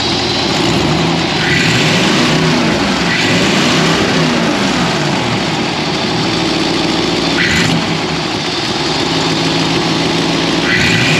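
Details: Ford with 4-barrel carburetor, after sanding a sticky slide-linkage spot that made the 4-barrel stick open, hood open: revs up and drops back cleanly about every 1.5 seconds, then settles to an even idle with no hang.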